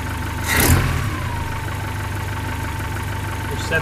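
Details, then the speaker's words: 1972 Datsun 510, L20B carbureted engine, after new alternator and fixing a large carburetor-base vacuum leak, idle adjusted to around 470–540 rpm: even, steady idle with faint constant whine, no hunting; idle now stable. "it's very stable now that I got that done"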